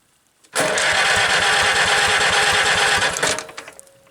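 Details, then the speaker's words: Farmall B tractor after magneto timing on cylinder 1, new gapped plugs, 4-year-old plug wires: steady fast cranking with a little choke, about three seconds, never catches. Cranks, won't start; magneto timing suspected, not confirmed. "We'll try a little choke. Almost wants to. I don't get it."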